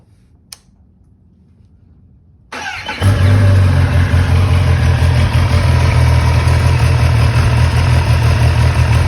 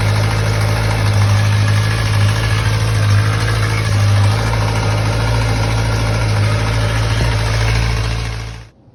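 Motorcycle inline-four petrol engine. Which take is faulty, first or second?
second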